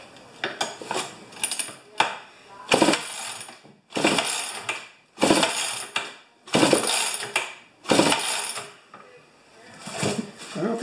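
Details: Rebuilt 50-year-old 100cc Homelite XP 1020 chainsaw, choke at 3/4: six or seven rasping cord pulls, each a short whir, engine never catches; owner suspects it isn't drawing fuel. Cranks but no start.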